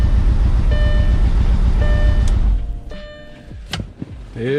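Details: Gasoline engine with a misfire before repair: a low thrum with a faintly uneven beat, about 220 pulses a minute, before it cuts off, as if a cylinder is dropping out; cause not yet confirmed.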